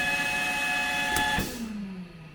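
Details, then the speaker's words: Haas CNC mill Y-axis that alarmed out mid-cut, now fitted with the known-good X-axis motor, homing: strained electric whine, then falling whir as the axis stops; load swinging 0–100%, axis overloaded, cause unconfirmed. "so the Y AIS motor here is [Music] moving but it seems awfully unhappy about it"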